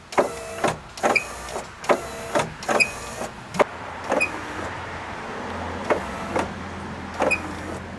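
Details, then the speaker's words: 1990–1997 Mazda Miata MX5 pop-up headlights after lubricating all moving points: high chirpy squeak about twice a second with each stroke over light motor whir; still squeaking, possibly from the aftermarket HID headlight kit and ballast. "Now it's just a matter of figuring out why it's still squeaking. And it could be a result of having that aftermarket headlight kit installed with all the extra pieces in there."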